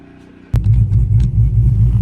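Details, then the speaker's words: Cammed Dodge Charger Hemi restarting right up after a new battery, charging 14.1–14.2 V: deep lumpy idle with a steady rhythmic chop; healthy, normal cammed idle. "guys hear that chop right that's a healthy camed Hemi right there"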